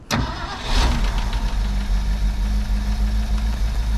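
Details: 1971 Ford F600 manual-transmission U-Haul box truck, no coolant in system, after carburetor leak fixed: engine catches and settles into steady, even low idle with no misses or knocks; normal idle.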